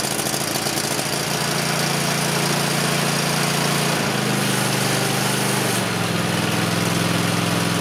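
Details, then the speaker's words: Cub Cadet XT-1 riding mower, Kohler 7000 series 22 HP V-twin, hot, after throttle cable adjustment for hard starting: engine hum steps up in pitch and keeps climbing when stopping; cable pulled too tight, holding revs high; overrevving. "I think I've pulled it a little too tight so it is really shooting up when I when I stop the tractor so let's just adjust it and loosen it a little bit"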